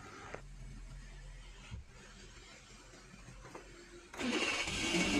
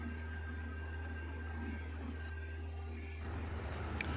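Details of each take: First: 2010 Suzuki (Maruti) WagonR with a high-idle complaint (over 2000 rpm): clean start running up to about 1000 rpm, then settling to the normal ~800 rpm idle; normal start and idle. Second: 2010 Suzuki Maruti Wagon R idling above 2000 rpm (about 2297) with zero throttle, normal idle about 800; steady, fast, even engine hum, blamed on an idle air control valve on the throttle body stuck open.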